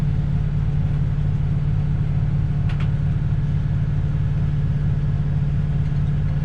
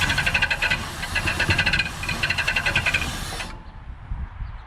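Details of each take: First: 1967 Ford Galaxie 500, 289 Ford V8, just restarted and warming as the thermostat opens during first-start break-in: deep, even idle rumble with no knocks, misses or ticks; the engine runs smooth. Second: 1967 Ford Galaxie 500, 289 Ford V8, first start attempt before break-in: fast rhythmic squeaky scrubbing, about four a second, as the engine turns over, then it stops; owner thinks the replaced crank/fan pulley is touching another pulley because of tight clearance.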